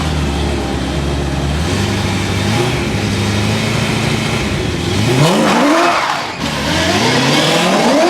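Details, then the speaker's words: BMW E30 M3 DTM-inspired track car being tested after extensive work, the day before a track day: strong, clean revs climb smoothly and drop back without misses or pops; sounds fixed and healthy. "that sounds better fixed"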